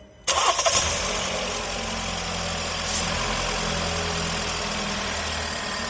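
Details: 2019 Jeep Renegade with a complaint of engine noise at idle, after new accessory belt, two pulley bearings, alternator and water pump refitted: quick start, smooth steady idle with no whine, squeal or knock. Normal idle.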